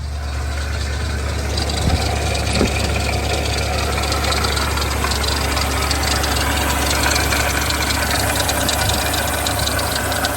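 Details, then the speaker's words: 2007 BMW X5 E70 4.8i V8 idling, hood open, not overheating: dry, busy rattle from the front of the engine with a slight belt squeak, traced to a failing water pump with a worn bearing. "but anyways the particular noise uh right now it's actually coming from the water pump"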